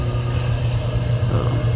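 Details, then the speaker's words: 1974 AO Smith copper boiler, 160,000 BTU, first startup of the season, previously cleaned with new thermocouple, inlet regulator and relief valve; steady even roar and hum without knocks; burner and circulator running normally. "all right so it is now running sounds good"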